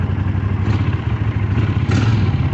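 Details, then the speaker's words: Old Honda Silverwing twin that sat unridden 12 years, just fuelled and warming up: deep, steady idle with even low pulses and slight mechanical clatter; runs perfectly, though the bike has bent forks from an old wreck. "Yes, I got it running and driving perfect. Well, running perfect."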